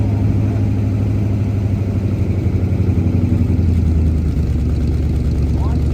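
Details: 1977 Holden HX Statesman Deville, 308 V8 with Turbo 400, sat about 20 years, fuel primed into manifold: deep steady rumble with even low beat, no knocks, misses or ticks; idling smoothly.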